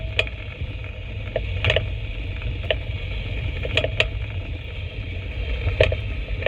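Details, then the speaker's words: 2015 Mercedes-Benz E-Class W212 driving a test route with a chassis noise detector fitted: irregular sharp metallic clicks and knocks over road rumble, front driver side. The detector lights red, confirming a worn tension strut ball joint. "유득이 있을 때 빨간불이 지금 들어오면서 소리가나요 요거는 닭은 텐서 스트럿입니다요"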